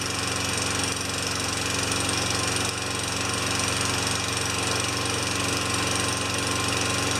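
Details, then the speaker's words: Tecumseh 4 HP Yard Machine mower that had stalled after a few seconds, after governor linkage work with fresh gas, primed six pumps: steady, even note about four beats a second, no misses or surging. Runs great. "that's a wrap Bruntlett just runs great"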